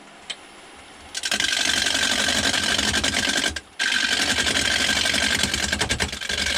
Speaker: You can hear it kind of chatter as it's going around. That's because it's only hitting on the corners. It's not all the way around.